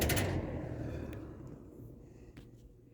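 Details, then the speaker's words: Late-1970s Kmart/Lakewood K-223 20-inch box fan with McMillan motor, spin-down from low speed: soft hum fading smoothly over a few seconds, no scraping or rattle; normal spin-down, bearings still good. "low that's a very good spin down time still got really good bearings"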